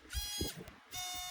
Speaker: As you can hear, it is inside here, and the other one is at here, inside of the cap. I can't really show it right now but you can hear the vibration motors.